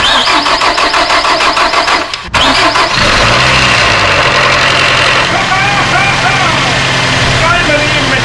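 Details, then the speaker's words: 2007 Nissan X-Trail, first start after a head gasket replacement with a reconditioned head refitted. Brief crank, fires straight away and settles into a smooth, quiet, even idle with no knocks or ticks: healthy. "this is the car for first stop very good man nice and quiet here"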